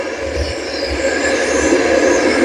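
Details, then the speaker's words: Homemade outdoor boiler converted to burn waste motor oil, running hot on a load of poor oil: steady, even roaring rush with a low flutter and no popping or sputtering, burner firing strongly and evenly. "just a little bit more oil, man. That thing comes right to life."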